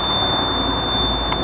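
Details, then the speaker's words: Flooded excavator, key-on after new oil, filters and repaired wiring: high steady electronic beep over low rumble shows the system has power again; normal power-on buzzer. "that's a good sign yeah beeping's nice"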